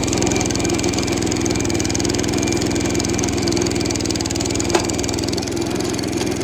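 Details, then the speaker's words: 70-year-old National reel mower with Clinton single-cylinder engine at fast idle, slightly uneven lumpy beat under clatter as it limps to garage; cracked wobbling flywheel that may come apart. "I really shouldn't continue to mow with this thing. That flywheel very well may come apart."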